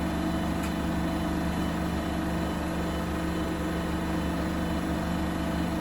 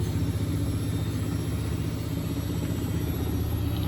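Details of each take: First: Bosch WFP3300 washer after new bearings, door seal, RFI suppressors and house RCD replacement, citric acid test wash with rags: apparently the 1600 rpm spin, steady even hum and whir, no thumping or grinding; slight panel rattle suspected; normal spin. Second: Bosch WFP3300 washer with new bearings and door seal, citric acid test wash, on uneven ground: deep uneven rumble with loose thump about four times a second, machine rocking; unbalanced spin from very few rags.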